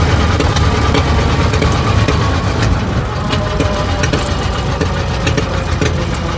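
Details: 1920 Ford Model T barn find, sat about 10 years, first start after carburetor cleaning and points work: loud, lumpy, uneven rough idle with missing firing pulses, running on one or two cylinders; misfire from stuck-open valves.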